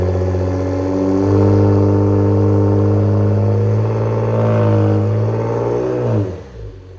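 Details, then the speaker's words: 2020 Ford Explorer ST after replacing a failing exhaust flex pipe that caused a rattle: deep, raspy exhaust rising smoothly on the rev and dropping back clean, no rattle; smoke is only WD-40 burning off. "Sounds good, rowdy."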